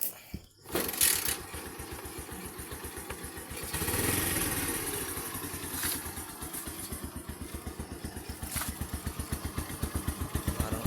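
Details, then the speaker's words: Bajaj CT100 single-cylinder after a muffler repair, sound check: soft, steady putt of about four beats a second, very quiet and sounding like the original, with no rattle or exhaust leak. Normal exhaust note. "original ang tunog. Tahimik na tahimik. Yan ang mga gusto kong tunog."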